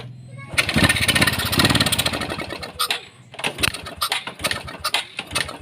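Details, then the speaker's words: Honda Supra X 125 carburettor single, hard to start and sputtering on throttle; ignition and fuel supply checked normal. It catches and sputters unevenly, revs in ragged bursts, dies and stumbles; the carburettor main jet was found detached. "Sekarang kita bongkar karburator karena mesinnya tidak mau hidup, mari kita periksa."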